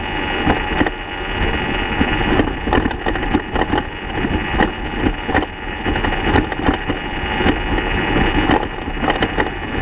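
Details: 2014 BMW F800GS Adventure, engine off, coasting downhill off-road: irregular dull clunks over wind and rattle. Worn, damaged steering head bearings, likely never properly tightened from the factory; new bearings made it quiet.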